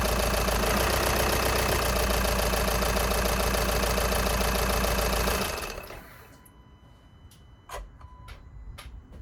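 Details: VW Sharan 2.0 TDI (CFFB) diesel after fuel filter change and bleeding: catches and settles into a steady, even idle clatter with no misses or knocks, then shuts off cleanly.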